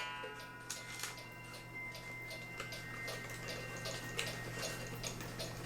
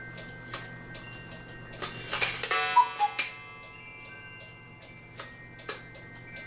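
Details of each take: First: Cuckoo clock after repair, gong pulled back under its screw and retightened: soft, even ticking with a light ring and no snapping. The earlier weird sound during cuckooing is gone and it runs normally. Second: Cuckoo clock after repair, gong refitted: steady ticking with cuckoo notes and gong strikes plus sharp crackling snaps during the strike, possibly from the gong sitting too far out where it screws in.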